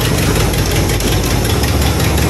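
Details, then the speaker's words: 1986 Chevrolet Caprice box body at idle: rough, uneven low puffing knock like exhaust escaping; owner suspects leaking intake manifold gaskets never fixed or a donut gasket, not confirmed. "that may be why we hear a lot of that noise too"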